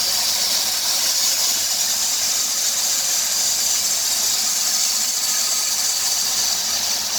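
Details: 2003 Dodge Grand Caravan 3.3 with 372,528 miles: a steady high hissing squeal with a chirpy edge, louder near 2000 rpm, that sounds vacuum-like but the engine runs smoothly. It stops with a water spray on the belt. The idler, tensioner pulley and power steering pump are already replaced; the owner suspects the serpentine belt.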